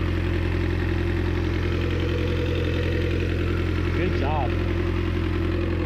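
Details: 1986 Suzuki Samurai with 1.6 VW turbo diesel, after fitting a larger new battery to replace the seven-year-old one, charging almost 14 volts: steady diesel clatter at idle, even beat near 160 a minute, no stumbles or knocks; normal idle.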